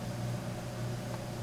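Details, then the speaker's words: Old Microsoft game CD installing on Windows 7 64-bit. Quiet, steady drive hum with a faint higher tone and some rattling as the disc spins while reading. Normal operation. "it's actually installing like a normal game from the looks of it CDs spinning and everything if I shut up you can probably hear the"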